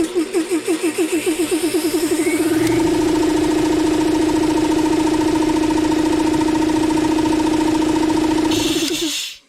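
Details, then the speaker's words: Roughly 20-year-old 2 1/2 hp air compressor motor after replacing both bearings, run cold: chuffs up to speed, then a steady even hum with no bearing squeal before shutting off. "Anyways, you can hear no squeal. So really happy about that."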